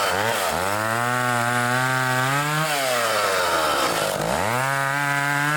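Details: Old vintage foreign two-stroke chainsaw after repair and carburetor tuning, cutting wood: revs up clean, bogs smoothly into the cut, then picks right back up with no misfire or stumble; normal running under load.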